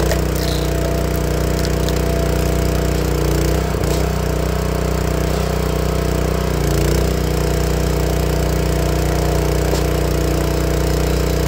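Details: Honda GX160 log splitter engine after replacing the failing spark plug that caused popping when warm: steady, even thrum with no pops or coughs over twelve seconds; running cleanly.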